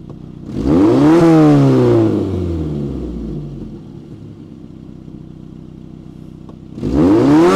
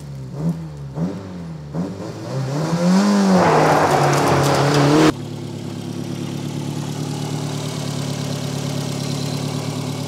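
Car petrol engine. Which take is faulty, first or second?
second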